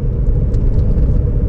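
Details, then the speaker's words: 2003-2013 Toyota Corolla driving at about 35-40 mph: deep, steady droning rumble with no knocks, louder with speed and louder turning left, from the driver side; worn wheel bearing. A new ball joint didn't fix it. "louder and louder when I'm hearing about 35-40 but let's go and drive more it sounds like coming from the driver side"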